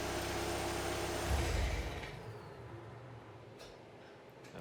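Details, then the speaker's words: VW TDI with DSG, around 192k miles, at cold high idle: diesel idling, then a dull low clang on shutdown from a worn dual mass flywheel. It clangs at low idle and goes away as revs rise. "but when it's at regular low idle you'll hear it kind of clanging away and then as it slowly revs up it kind of goes away so that's what I mean when at idle you hear it and then rev it up a little bit and it goes away it's pretty obvious so hear a little clang here on shut"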